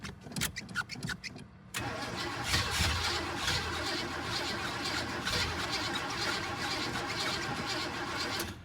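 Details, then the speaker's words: Old hot rod after fitting a new fuel line loop and extra filter before the pump; starter spins steadily for several seconds without catching while the new line primes. "It's probably going to take a minute to get it primed back up where I added that new line."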